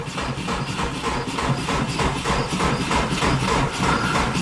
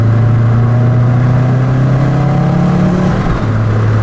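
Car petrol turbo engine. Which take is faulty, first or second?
second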